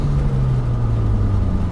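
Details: Steady, even low engine note with no stumble or misfire from a 2014 Hyundai Veloster Turbo after new OEM ignition coils were fitted for a misfire; running cleanly.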